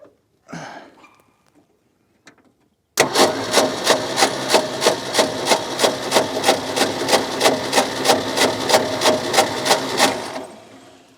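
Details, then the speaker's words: Ford F600 ex-U-Haul truck, 359 FT engine freed after sitting locked up for 20 years: steady cranking at about three beats a second for seven seconds without a catch. No spark at the right spot; the points were then cleaned with sandpaper. "Let me go turn the ignition back on. Grab you. find my screwdriver. All right. Not sparking in the right spot."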